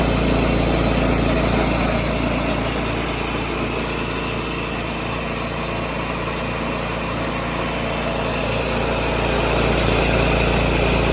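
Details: 1986 John Deere 216 lawn tractor after carb cleaning and PTO adjustment, driven up the driveway: small single engine chugs at a steady pulse of about three and a half beats a second, holding speed without stumbling; normal running.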